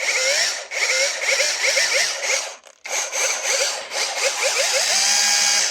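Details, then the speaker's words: Parkside Performance X20V Team cordless tool from a received lot, tested at start-up: it spins up with a string of short squeaky chirps rising in pitch on each start. Owner says an older-generation unit doesn't do this; abnormal start-up noise, cause unknown. "bon à tester mais il me semble pas que ça doit faire ça au démarrage"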